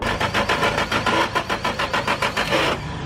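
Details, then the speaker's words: 1995 vehicle, old fuel: uneven, gritty cranking bursts about three a second with no catch. The starter is suspected (possible worn gear grinding) or a weak battery; not confirmed. "doesn't seem like it's happening thinking maybe it's starter right I mean it might be a starter but if it's the starter seven out of ten times the battery not enough power push the starter"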